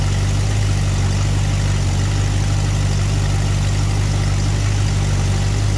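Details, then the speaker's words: Engine idling at about 1° initial advance with the vacuum advance port plugged, before advancing to 12°. Low, heavy idle rumble with a slightly uneven loping beat near once a second; rough idle from retarded ignition timing. "okay so if you look now we have like 1° in and it started so it's kind of almost so we're going to add some to it"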